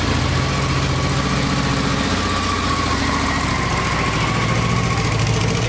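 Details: 1986 Honda VT500 Shadow V-twin after a carburetor clean and new air filter, carbs not synchronized: steady, even idle with a low lumpy beat and no knocks or misses; idles normally.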